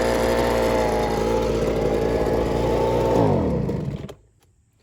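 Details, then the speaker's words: Fairly new Ryobi BP42 two-stroke backpack leaf blower: idles well, but on throttle the steady buzz sags after about three seconds and the engine bogs and dies; owner suspects the carburetor high adjustment screw needs adjusting. "so you see it was idling great but once i hit the gas it just it bogged down and died"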